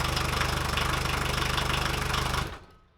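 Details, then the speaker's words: VW 1.6L turbo diesel after reassembling the fuel injection pump with cam plate turned 180 degrees: lumpy pulsing idle thumping 3-4 times a second with heavy shake, then dies; rough running, owner suspects pump still off. "Yeah, I got everything on, and it now runs, which is kind of what I expected."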